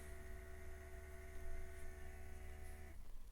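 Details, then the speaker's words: BMW E91 electric conversion, electric brake vacuum pump after threshold tweak: steady low hum with fixed tones cutting off near three seconds as vacuum builds; small leak noted, brake boost working, pump operating normally. "I tweak the threshold and stuff yeah gives me breake boost now you can hear pumps back"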